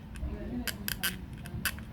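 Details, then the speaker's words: JSW JI-4809 steam iron (110V, 1200W), dial turned by hand during disassembly: a few crisp, light, unevenly spaced clicks as a metal piece brushes a groove; normal dial detent clicking, nothing wrong. "let me show you exactly this metal piece brush against this groove right here so that is why you hear the clicking sound just like"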